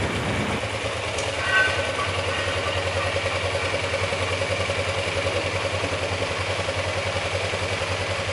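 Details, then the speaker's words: Motorcycle idling with a light, quick top-end ticking rattle, like a loose or wobbling valve; persisted after swapping to a manual cam chain tensioner, owner suspects the cylinder head valve area, cause unknown. "Tapi bunyinya sebetulnya bukan dari hand, tapi memang kayak suara klep yang kendor atau goyang ya semacam gitulah ngeletreknya tuh. Jadinya saya memang mencurigai di area situ."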